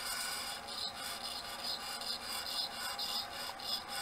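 Continuous high rasping scrape with a faint pulsing from the spinning platter: the heads have crashed and are grinding the disk surface.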